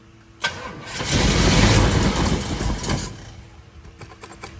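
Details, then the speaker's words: 1932 Ford Model B roadster, built 383 roller V8 (525 hp), freshly fitted with EMPI HPMX 8-stack IDF carbs on Pierce manifold, first firing: catches with a bang, roars unevenly and stumbles, then sags ragged; ignition timing off. "timing is definitely still off so we're going to have to adjust the time it again so I think we need to move them one spot around"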